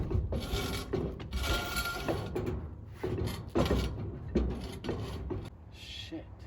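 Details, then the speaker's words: Old rusty trailer, brake drum spun by hand: uneven scraping and rasping in bursts, dragging hard and spinning rough instead of coasting. Drum rubbing from a damaged backing. "I was wondering why is is this drum not spinning? It sounds like it's it's spinning rough when I do get it to spin."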